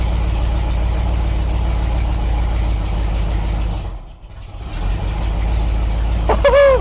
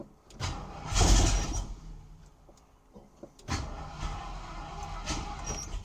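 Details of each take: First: 1972 Ford Maverick Grabber, 302 V8; the starter sounds strained and the owner thinks the battery is weak. Once running, a steady, even low rumble with no knocks or ticks. Oil pressure good, smoke likely burning off; normal running. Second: 1972 Ford Maverick Grabber former drag car, first start after 30 years, oil pressure good; starter groans slowly in uneven heavy bursts without catching; weak battery suspected: slow labored cranking.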